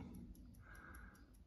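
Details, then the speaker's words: Electric meter in a house in Bulgaria with no power: light even ticks about five per second over low room hum while the disc does not turn, suggesting supply reaches the meter; fault unknown. "now as you can see the actual uh thing isn't going around ticker I can hear it ticking so it sounds to me as though it's got electric coming to"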